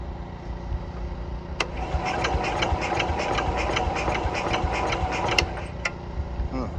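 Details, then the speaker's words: Cub Cadet 104 garden tractor, ant-infested and sitting many years, fresh gas poured in, fuel on, choke used: starter cranks at steady rhythm with sharp clicks but never fires; owner suspects it is not getting gas. "must not be getting gas."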